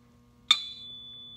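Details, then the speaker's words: Turbo engine teardown, crankshaft tap test: one spot gives a clear, sustained ring while higher spots sound dull. The crank is suspected cracked; machine shop verification is pending. "and then you could hear it dinging down there, okay? It resonates down there, but it's a friggin' dull here, right? It doesn't resonate."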